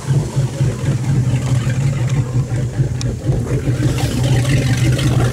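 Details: Boat inboard engine after replacing the impeller, done because the starboard exhaust was giving off more steam than the other side: deep, even drone at steady speed with no knocks or misses; normal running.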